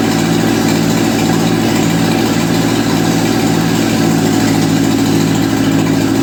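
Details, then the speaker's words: 1955 Ferguson TEA2085 tractor, an auction junkyard find that sat for years, started after oil reached the rockers; loud, steady, even low chugging with no knocks or misses. Compression readings include two kind of low, yet it runs fine. "We took it out. It runs, it drives, the transmission works in all 4 gears and reverse. Everything is good."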